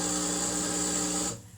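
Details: Boiler after heating switched on with thermostat set, circulators running: harsh steady buzz with a hissy edge lasting about a second then cutting out, from the controls; relay suspected, not confirmed.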